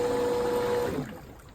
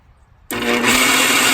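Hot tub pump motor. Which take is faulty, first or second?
second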